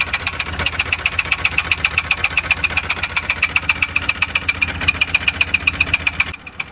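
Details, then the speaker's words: Engine idling with a sharp, hard, regular metallic knock about four per second; on teardown the number four connecting rod was found bent. "इस engine में आप देख रहे हो heavy knocking sound आ रहा है। यह प्रॉब्लम मेनली कनेक्टिंग रोड की वजह से होती है।"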